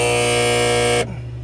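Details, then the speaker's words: 2015 Frymaster FPEL314CA triple electric fryer, 208 V 3-phase, cycling heat while boiling out a dirty pot: loud harsh electrical buzz cutting off sharply to a faint hum, from the stuck heat contactor (its button won't come up); contactor needs replacing. "So I believe it's coming from the contactor. One of the coils is stuck."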